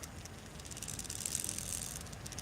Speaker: that's what I mean about these closed gearboxes you get them closed and then something get that clicking